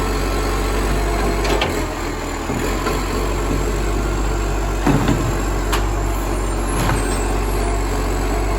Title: Vlog 214: Moreland Garbage - A Roaring #FN11487 - Massive Exhaust Leak!